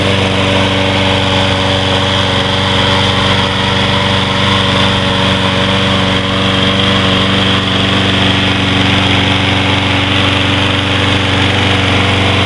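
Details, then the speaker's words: Troy-Bilt 21" mower with Briggs & Stratton 675 series 6.75 gross torque engine, first start after carburetor cleaning: the engine holds a smooth, constant speed with no surging or hunting; the surging and lack of power are fixed. "that sounds much better I think we got the sty build fixed is"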